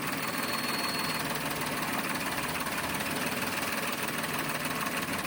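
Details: Toyota Wigo automatic with low power; uneven, stumbling idle with irregular pulses and no steady beat over a busy engine hum, a misfire making it run rough.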